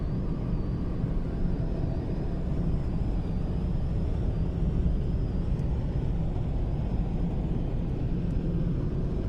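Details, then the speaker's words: Skoda Rapid 1.4 DSG cruising at 110 km/h. A thin, faint, steady high whistle above low road rumble comes from the left driver's door, suspected air leaking past the door seal. "Скорость 110 в круизе. Я вот не знаю, слышно или нет, но левая дверь свистит."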